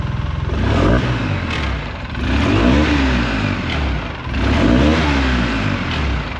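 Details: 2008 Polaris Sportsman 800 EFI after installing a new Moose Racing fuel sending unit/pump: the engine catches, takes a few gentle revs, then settles into a smooth, even idle with no misses and no fuel leaks.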